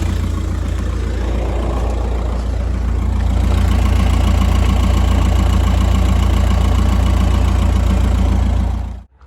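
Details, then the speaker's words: 2008 VW Golf 5 five-door hatchback, 2.0 diesel, manual, about 200,027 km, warm idle: deep regular thumping like a hammer striking inside the engine, about three to four per second; engine knock, cause undetermined. "чуєте цей звук як хтось стукає молотком двигуну який стук іде з двигуна"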